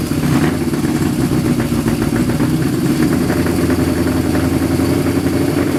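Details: Suzuki GS550 cafe racer with individual pod filters, carburettors unsynchronized, running about 2 minutes on choke: fast lumpy uneven firing, won't idle and dies off choke; running lean, rejetting needed.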